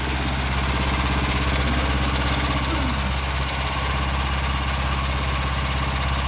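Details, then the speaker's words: Revived Vanguard 9HP tractor engine after draining old gas, carburetor work and freeing a stuck throttle lever, oil topped off: steady single-cylinder idle with an even, quick beat, no misses or knocks, no fuel leaking, much quieter. Normal idle. "I pretty good not weing any gas much quieter"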